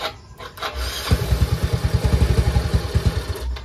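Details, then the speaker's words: Yamaha Mio i 125 scooter whose TPS had been disturbed: engine catches and chugs unevenly, then dies when the throttle is opened slightly; fix is setting the throttle position sensor with a multitester. "So patay po siya ag pinipiga natin siya ng konti ang kanyang silinyador."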